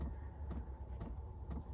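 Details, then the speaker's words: Diesel heater in an insulated converted Royal Mail van: soft, regular ticking about twice a second over a low hum as the heater's fuel pump doses diesel into the single-glow-plug combustion chamber. Normal fuel pump ticking. "Now you might be able to hear a ticking. That's the pump pumping the fuel around into the combustion chamber."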